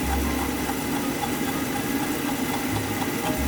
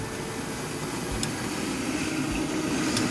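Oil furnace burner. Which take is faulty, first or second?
first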